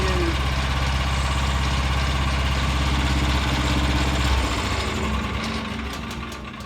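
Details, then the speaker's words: Revived Vanguard 9HP tractor engine after draining old gas and carburetor work, oil topped off: even low drumming idle with no misses or rattles, then winds down and stops; no fuel leaking, much quieter. Normal idle. "so I pretty good not weing any gas much quieter"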